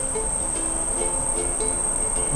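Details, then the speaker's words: DC-DC boost converter module with about 10–13.86 V input and output set near 12–13.9 V: a thin, steady, very high-pitched coil whine at no load that stops when a load is applied, though the voltage then drops; input-output difference too small. "なんでこんな音すんねやろうるさいな負かけてみようか負かけたら大丈夫かなあフかけたら音は止まるね"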